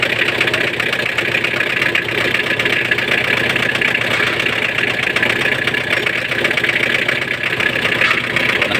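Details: Mitsubishi L200 at idle: steady high power steering pump whine that doesn't fade, with fluid level full and not clogged; pump belt driven off the water pump pulley, alternator slightly loose; pump remains noisy.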